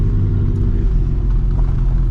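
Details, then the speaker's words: 2004 Ford Explorer being revived after long sitting, on new tires: heavy, steady low droning rumble while driving, like an open exhaust; owner heard dragging and suspects the exhaust system fell off, causing loud drone. "experience droning is awful"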